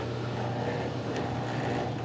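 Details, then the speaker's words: Drain pump/motor of a curbside-salvaged Whirlpool Cabrio top-load washer (WTW8900BC0) running normally: steady low even hum, tub quiet, bearings quiet; normal drain pump operation. "You're hearing the drain motor right now,"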